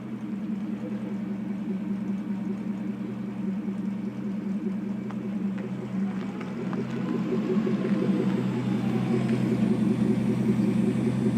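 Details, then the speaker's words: Porsche 928S reversing while warmed up: steady engine hum with smooth low drone rising gently, no whine or clunk; the strange noise occurs only in reverse when cold, and the transmission later failed. "As you can see, everything works and sounds perfectly normal."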